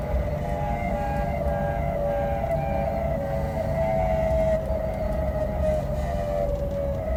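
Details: BMW 635csi (E24): wavering mid-pitched howl over road rumble, seeming to come from the engine area, speed-dependent not rpm-dependent, quieter under load, fading once hot; worn drive shaft center support bearing, fixed by replacement.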